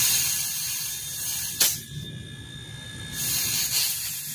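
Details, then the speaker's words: Good refrigerator/aircon compressor running and vibrating, suction open: a strong, steady high hiss from the discharge, briefly muffled then back at full force; the thumb cannot block it, so compression is good, unlike the bad loose-compression unit. "Ito yung kanyang discharge. Open yung kanyang suction na."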